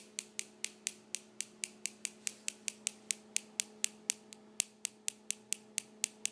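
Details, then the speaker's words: Homemade high-voltage box in an old DVD player case with bug-zapper driver circuit, upgraded transistor, flyback transformer and spark gap; fan running, sharp crackling snaps about four per second, steady spark gap firing. "you know the fans going you can hear that clicking which is the spark gap inside"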